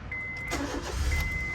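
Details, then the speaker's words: 2013 Honda City 1.5 V i-VTEC petrol sedan, automatic, about 10,000 km, single owner: a short crank and the engine catches at once, settling into an even idle under a dash chime. Normal, easy start. "รถซารติดง่ายครับนี้มาฟังเสียงเครื่องกันเลยมันจะได้ไม่เสียเวลา"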